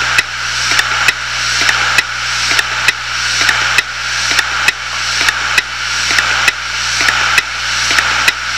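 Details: Failed 250GB Hitachi Deskstar 7200 RPM hard drive: loud, regular click a bit over once a second with a faint spin-up whir between clicks; heads failing to read.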